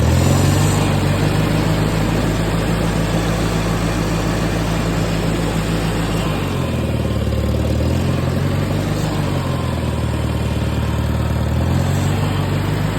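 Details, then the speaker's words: Farmall 230 tractor first start after points setting and 6V-to-12V conversion, carburetor untouched: steady, even low rumble at a fairly fast idle with one smooth dip, no misses or knocks; engine runs great. "well the engine runs great in it"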